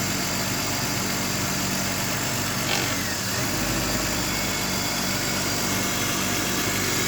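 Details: BMW E39 with the M52B28TU petrol engine idling roughly with an irregular low pulse and a steady hiss, with a misfire and a leak, cause unknown.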